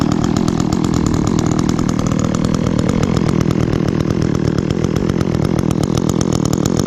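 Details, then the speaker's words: Echo chainsaw, chain worn from maple cutting, last run two or three weeks ago, started on choke after priming with chain brake on: crisp, even buzz picks up cleanly and holds under throttle, no misses; bar oil spews when revved, normal running and revving. "definitely a good saw and as you can see there when I revved it some bar oil kind of spewed out there which is definitely what you want"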